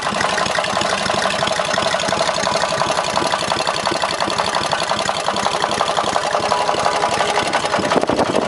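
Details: 18 hp opposed-twin engine, leaking crank gasket: rough run with sharp uneven tapping about three per second over exhaust, seems from rear of block, not worse with rpm; owner suspects rod knock or top-end bearing.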